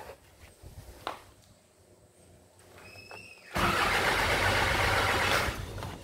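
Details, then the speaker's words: Isuzu 4HJ1 common-rail diesel with engine relay deliberately removed: starter spins the engine steadily for about two seconds with no firing; cranks but won't start because the relay is out. "Engine tidak akan hidup sebab relay ini tidak terpasang."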